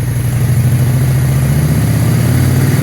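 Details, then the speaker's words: 2001 Honda Shadow VT600CD V-twin, carbureted: smooth idle, then a steady low burble that rises evenly with a tiny bit of throttle, with no stumble. This is normal, though it bogs with more throttle. "but once I give it a tiny bit of throttle I can give it a little little little little bit of gas should Ram higher"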